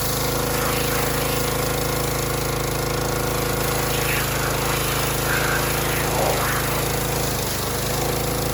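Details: Harbor Freight Predator pressure washer, bought as junk, whose unloader had been misassembled, possibly damaging its seat: engine runs on while the pump note pulses about four times a second with the trigger squeezed; unloader cycling, needs adjusting down at the bolt.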